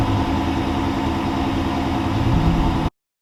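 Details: 2005 Lincoln Town Car, first start after fitting a new battery. The engine catches and settles into a steady, even idle with no knocks or misses before shutting off.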